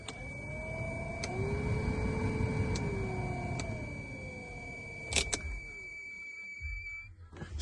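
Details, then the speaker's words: 1993-2002 Camaro/Firebird WS6 HVAC blower running: steady high-pitched squeal over rushing air from a worn blower motor bearing. "squeal. So, I decided I'm going to change the uh blower motor here."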